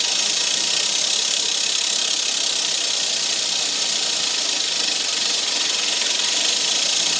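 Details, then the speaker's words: Rolux reel mower being backlapped with a drill driving the 19 mm bolt in reverse and lapping paste brushed on: steady, even hiss-like grind as the paste hones the reel against the bed knife, which is normal; no grinding would suggest too much gap. "When you hear that grinding, it means that the paste is honing itself with the bed knife underneath."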